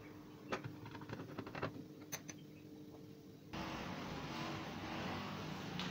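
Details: LG microwave oven previously not powering on: a few handling clicks, then a steady even hum as it starts and keeps running; powers up and works normally.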